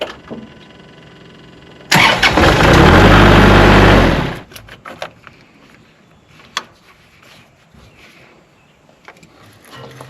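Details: Kubota tractor: short crank, catches at once, runs evenly a couple of seconds then shuts off; clean start.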